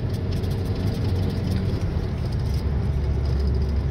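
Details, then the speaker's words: 2006 Volkswagen Jetta TDI at 100 km/h after wheel bearing replacement: steady low road and engine rumble with no growl or hum from the wheels; normal wheel bearings. "okay so this is what it's supposed to sound like uh when your wheel bearings are good you can actually hear the engine for a change take it up to 100 kilometers an hour and yep no bearing noise like before"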